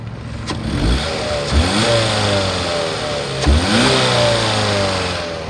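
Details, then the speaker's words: 2008 Ford Escape 2.3 L four-cylinder, 73,000 miles, overheats after 15–20 minutes and fans don't turn on, AC blows warm; revved while temperature still normal: clean rises and falls, no knock or hesitation; motor sounds good. "sounds good it revs up nice and the AC again is blowing warm"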